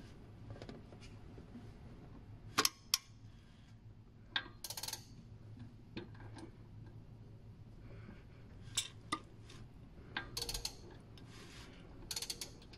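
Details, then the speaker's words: Toyota 1AZ-FE/2AZ-FE (2.0 RAV4) timing chain tensioner, filmed close up as engine is rotated by hand after install: sharp scattered metallic clicks as it ratchets out and sets chain tension; normal. "so you'll hear this starting to ratchet and the clicking will happen until it goes out and sets the tension"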